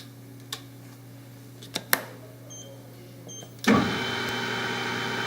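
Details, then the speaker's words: Prototrak lathe with spindle speed levers set to 830 rpm: a few clicks, then the spindle spins up to a steady even hum without grinding, confirming the gears are fully engaged. "try to turn my spindle here and make sure that it's actually in gear"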